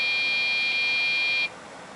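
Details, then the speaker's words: Dell OptiPlex GX620, Pentium 4 3 GHz, tried with various RAM sticks: shrill steady startup beep breaking off and restarting as part of 1-3-2 POST code, then hangs; indicates memory not initializing properly. "and then it just hangs era code one three two according to Dells diagnostic manuals for this particular computer state that that means there is something wrong with the memory or the memory isn't being initialized properly"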